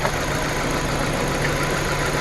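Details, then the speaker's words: 2014 Dodge Journey 4-cylinder at idle with check engine light: uneven, stumbling idle with irregular shake; tests point to a failed ignition coil causing a dead cylinder; misfire. "ings, and it gets worse. So now that the problem has moved from cylinder 1 to not changing at all to cylinder 2, this is going to be our problem. Coil is our problem."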